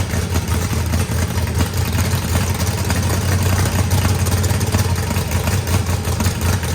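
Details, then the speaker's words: Freshly built turbocharged 409ci small block Chevy V8, added compression, first run: loud choppy rumble, steady, no knocking or ticking; oil milking from turbo drain, owner may lean it out or add vacuum pump; normal cammed idle. "I might end up having to find a way to put a vacuum pump on this thing. But wow, it sounds pretty good."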